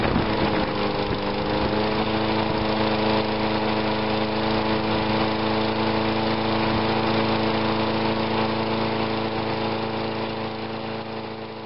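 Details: Small engine with a cleaned ignition coil reading a stable 2.2k ohms. It gives an even, steady putter with a clean tone that holds level, then eases off at the end; healthy running.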